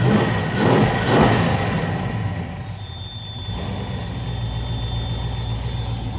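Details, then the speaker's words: Nitrous Mustang after repairs for melted spark plugs in cylinder 3 and another: after a couple of blips, a lumpy idle with light steady top-end ticking; owner suspects the valve train and plans to recheck valve lash. "away and there's definitely something that's a little noisy in there maybe the valve train may have to check the valve lash once more and just double check it but something's making some noise I don't like it"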